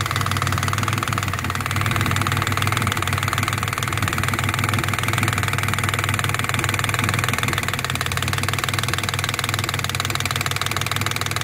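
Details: Turbo project engine idling after catch can install, air-fuel ratio down from 20 to 17: low rumble with a sharp puffing tick about four times a second from a hole in the exhaust manifold; JB Weld repair considered.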